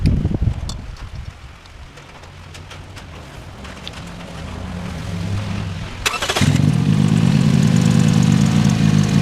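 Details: 2007 Toyota Yaris 1.5L 1NZ-FE, after new spark plugs and ignition coils to fix cylinder 3 misfire: engine catches after a few seconds of cranking and settles into a steady, even idle with no stumble or miss.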